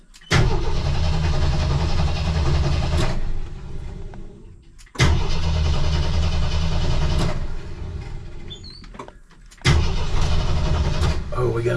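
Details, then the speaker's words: 1984 Jeep CJ7 barn find, not run in about a year, on a YESPER jump starter; suspected flooded, so the breather cover was removed to vent gas. Three long cranking bursts with rapid turnover and occasional uneven puffs, never running: sputtering while cranking. "pretty sure I flooded it I can smell gas oine all right after four tries trying cranking it is down to two bars"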